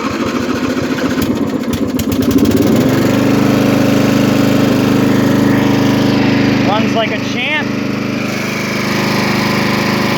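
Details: Craftsman LT1000 lawn tractor, 18hp Briggs & Stratton, 42" cut, 6-speed, with bagger and new fuel filter, started on choke: cranks and catches within a couple of seconds, then steady even run with no misses or knocks; healthy.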